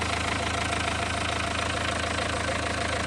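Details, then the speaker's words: Renault 1.5 dCi diesel at idle during post-repair leak-off test, injector no. 4 refreshed with new Delphi valve and nozzle: steady, even clatter with no misses; no. 3 still returning, no. 4 clean, fix worked. "Car started, running for 2 minutes, and then we observe the fuel return."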